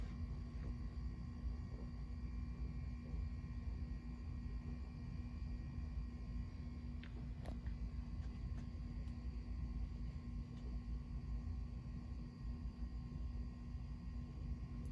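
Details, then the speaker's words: Small 36-inch Emerson Designer two-speed ceiling fan, plastic body: a quiet, even whir coasting down quickly with no ticking, scraping or rumble. The bearings are perfect. "pretty quick spin down it's a really small fan so that has to do with it bearings are perfect"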